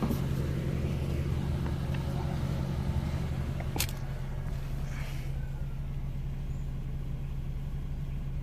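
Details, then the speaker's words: Wrecked Nissan Sentra bought at auction as a rebuild project, 43,000 miles, no check engine light: low, soft, even hum with no tapping or roughness, barely audible; normal, healthy idle. "No check engine light, no nothing. 43,000 miles. It's on right now, so you could hardly hear it."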